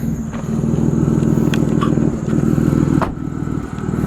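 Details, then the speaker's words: 2005 Ford Five Hundred SEL AWD idles rough, stumbling about four times a second with a sharp puffing exhaust tick; definite misfire with a cylinder 2 misfire code, plus an exhaust leak. "So you can hear it as a definite misfire. It's coming up with a code."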